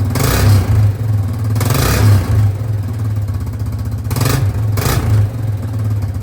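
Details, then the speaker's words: 2005 Yamaha Grizzly 660 ATV single, started after repairs with very little choke at about 16°C (60°F): picks up cleanly on quick throttle blips and settles to an even idle; starts much better than before, normal running. "That was a lot better. That was like very little choke, which I mean, it's probably, I think it's about 16 degrees Celsius outside, which is roughly 60 degrees Fahrenheit, which isn't really that cold for a machine like this."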